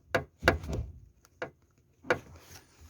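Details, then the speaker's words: Lada Vesta passenger seatbelt retractor mount at the lower pillar: sharp, irregular hollow metallic knocks as the loose retractor and bolt strike thin pillar metal. "то есть сейчас попробую показать вот такой стук то есть вот он входит вот он отметал бьет"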